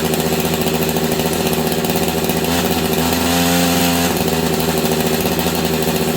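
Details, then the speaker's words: Husqvarna 385 chainsaw that sat on a shelf for years: it runs but stays at a strained, labouring drone and won't throttle up, sounding like the clutch is grabbing; the owner also wondered about ignition advance. "I don't know what's going on but it sounds like the clutch is grabbing but it's not um did you guys hear that it sounds like the clutch is grabbing on this thing but it's not"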